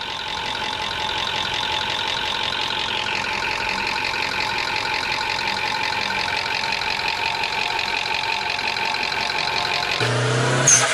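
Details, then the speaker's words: High-mileage Toyota engine, over 300,000 km, at idle: light, quick top-end ticking clatter present hot or cold, at any speed; valvetrain noise from oil sludge, before engine flush. "This is a Toyota that has over 300,000 kilometers on it and it presented with this noise. And that noise was present whether it was hot, whether it was cold, whether you were driving slow or fast."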